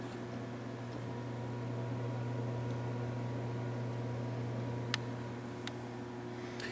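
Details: Gaming PC with a five-year-old ThermalTake PSU, first blamed but not the cause: constant low hum with faint scattered ticks underneath, chassis vibration from a loose hard drive cage buzzing against the case.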